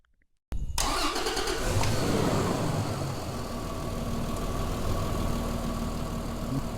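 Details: Toyota Land Cruiser 80 series with a no-spark no-start, after fitting a replacement relay: brief crank, then it catches cleanly and settles into a steady, even idle with no misses or knocks. Fixed.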